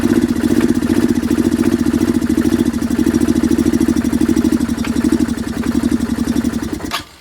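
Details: Curb-found Chinese 150cc Moto Cooper Revo/CF Moto scooter, ignition hot-wired, primed by hand: single-cylinder putters at fast even idle several seconds then cuts out abruptly; runs only when primed, owner suspects fuel delivery problem.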